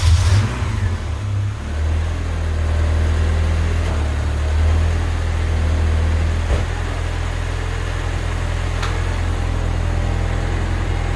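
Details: AWD Honda Civic EM2, first start with new turbo and new full 3-inch open exhaust (no baffles, ovalized pipe): deep, steady low rumble settling into an even, very quiet idle with no rattles or whistles while it clears water and condensation; idles cleanly.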